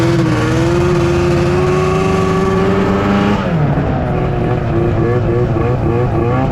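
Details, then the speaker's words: Old 2005 Arctic Cat Firecat F6 two-stroke snowmobile bogging: revs sag and drop, engine labouring as the sticking clutch drags and loads it; no brakes either. "so as you guys can hear it's bogging like that because the clutch is sticking right"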